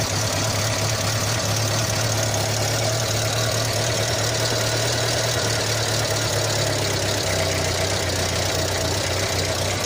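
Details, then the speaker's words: 1986 Renault Super 5 GTL 1.1 petrol, cold just after first start in months: a steady, slightly lumpy idle with a deep even drone and no knocks; owner thinks too much choke, so it runs rich. "J'ai mis un peu trop de starter, je pense. Encore 2-3 minutes et puis on va pouvoir le retirer."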